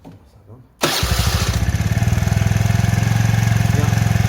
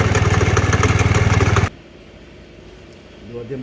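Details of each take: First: Kymco Agility Renouvo Naked 50cc four-stroke Euro 4 scooter after a new complete variator kit, rollers, belt and an oil change; starts on the first try and settles into a steady, even idle with light blips. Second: Kymco Agility Renouvo Naked 50cc 4-stroke Euro 4 scooter with broken variator and torn belt: fast, even knocking about four per second over idle, then shuts off; worn bearing with play, suspected crankshaft bearing.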